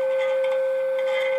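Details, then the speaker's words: Tram D201 tube CB radio on sideband, volume high: pure steady mid-pitch ring through the speaker; chassis vibration from turning squeaky cores makes a microphonic tube squeal, feeding back into oscillation. "the last time I did this when I was turning one of those cores a little bit squeaky it vibrated to chassis just enough that this harmonic tube actually it's starting to squeal there there"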